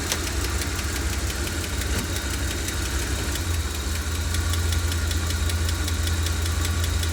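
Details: 1990 E460 7.5 L big block V8 idling: steady light tick, two to three a second, over deep rumble; cause unknown.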